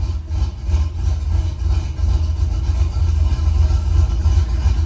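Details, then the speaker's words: Truck engine with a cam swap running on the factory tune, in gear: deep, lumpy idle sags and surges, dropping to about 300 rpm after a blip while fuel trims pull fuel; computer struggles to keep it alive, low idle speed. "It dropped down to like 300 RPMs. See, the fuel trims are actually taking away fuel. Not as much as I would have figured, but it is taking away fuel."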